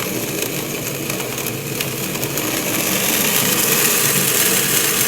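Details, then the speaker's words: Acrylic centrifugal pump trainer driven by an electric motor through a magnetic coupling, with suction and discharge gate valves; harsh gravel-like crackling rattle growing louder as suction pressure is dropped, causing cavitation bubbles to form and collapse. "sounds like rock literally like rock joy to the place and again we caused it by dropping to over pressure causing clash' to occur with the trucks Rises began the bubbles collapse that's what cavitation occurs"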